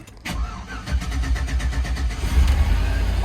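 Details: GM GMT800 Z71 4x4 truck with 269,000 miles at an impound auction: brief crank, then catches and settles into an even deep idle with no knocks or misses; starts and runs fine.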